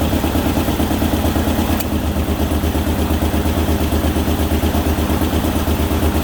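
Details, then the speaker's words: Ford Ranger first start after transmission reassembly, following firing-order correction: it runs with a loud, raspy puffing exhaust beat of about three a second; the owner suspects an exhaust leak. "just running maybe sounds like it's got an exhaust leak though"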